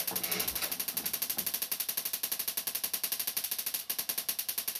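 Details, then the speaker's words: Panasonic TX-32PD50 32-inch CRT TV, about five or six years old, failed while watching a film; owner suspects a failed regulator circuit pushing voltages too high. Sharp uneven crackling snaps about four a second at switch-on: suspected high-voltage arcing, unconfirmed. "it sounds like some of the voltages have gone too high it's crackling and the last thing I want to do is start poking and prodding around in there when it sounds like it's about to go bang"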